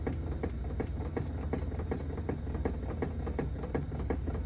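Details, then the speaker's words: BMW E90/E92 with ZF steering rack, recorded in engine bay: loud uneven clunks as wheel is jiggled after rack thrust piece adjuster was overtightened; fixed by backing it off about an eighth turn. "i jumped in the car and gave the steering wheel a little jiggle and the noise was louder in fact i've got a clip from the engine bay which i'll play just now um yeah it was really really loud"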